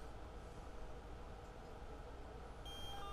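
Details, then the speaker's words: DIY battery-powered Bluetooth player (USB Bluetooth audio receiver into a small 3 W amplifier): steady low buzzing hum from power-on, with a brief connect chirp near the end. Ground loop between shared supplies, worse when the music player runs. "so I'm sure you can hear that um that buzzing in the background that's from the ground Loop"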